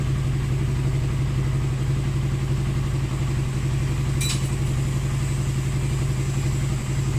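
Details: Motorcycle previously hard-starting and backfiring: steady even engine beat with full low tone, no misfires, pops or backfires; running properly.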